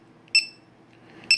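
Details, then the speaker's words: Low-voltage alarm on a Dynamite Prophet Precept charger kit, set to 380 (half capacity) for a boat battery: two sharp high-pitched beeps about a second apart as the light flashes, signalling the pack reached its cutoff. "and of course you hear that beep that's what the alarm sounds like when it goes off kind of like that right there and the light flashes"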